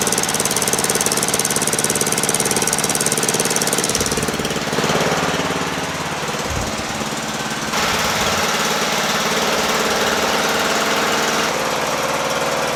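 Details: Murray lawn tractor, 12.5HP Briggs flathead single, after sticky-valve zero-compression fix, idle lowered from a fast setting: steady, even thumping at the lowered speed with no stumbling or dying; running healthy.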